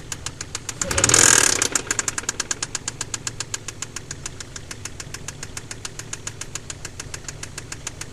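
Sharp metallic knocks, nearly four a second, pound evenly over a quiet idle after a brief rev: a spun rod bearing.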